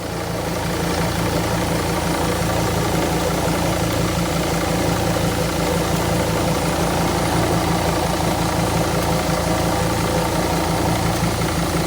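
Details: Sprinter diesel idling with a faint, uneven moped-like buzz over the clatter that comes and goes and gets louder while driving; started the previous night, source not yet pinned down; intermittent buzzing at idle.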